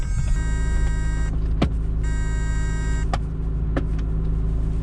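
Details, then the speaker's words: 1979 Honda Accord 1.8 CVCC 5-speed, while driving; the door doesn't close all the way (only on the first latch). Over road rumble, a steady buzzing tone cuts out and returns; the door-ajar warning buzzer. "the door doesn't close all the way so we're just going to deal with the buzzing the whole time"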